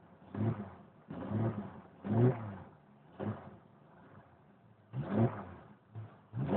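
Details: 1992 Jeep Cherokee, petrol six-cylinder, first cold start of the day at about 24-26°C: uneven low bursts as the engine stumbles, catches, then is blipped repeatedly; hard cold start, cause unknown.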